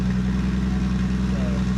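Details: Toyota Supra just fitted with a new VSS Racing turbo, first run before exhaust is welded up, checking oiling and spinning: smooth, steady low hum at even pitch, no whistles or rattles; healthy idle.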